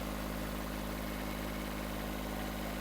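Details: Kubota B7001 diesel tractor idling after the repair that replaced its dead alternator, about 10 minutes running; quiet, even low drone with no knocks or rattles, earlier metallic noise gone, charge light out, charging normally.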